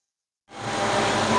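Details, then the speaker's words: Car idling at operating temperature, about 198°, after a catalytic converter heat shield was fitted (cat reads about 380–400): a steady airy rush holds evenly over the idle as the electric cooling fan runs. "So as you can hear, the fan's on. We're up to operating temperature."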